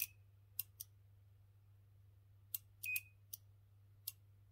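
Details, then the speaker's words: Second relay removed from Chaffoteaux & Maury Nexia boiler board and tested on a continuity tester in beep mode: crisp relay clicks but only brief, intermittent beeps, so contacts don't close reliably; relay suspected as the fault. "On entend qu'il claque, mais ça bip pas. On vient de l'entendre. Vous entendez ? Clairement, je pense que c'est lui qui fout sa merde."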